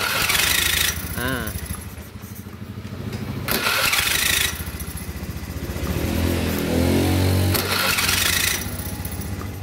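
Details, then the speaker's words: Honda Beat FI scooter with a rough, noisy starter, miked close during cranking: harsh rattling grind, about four rough pulses a second, from the starter against a loose crankshaft end; the starter pinion was then inspected. "nah jadi ada suaranya e yang apa yang ngejelengiknya gitu kalau bisa"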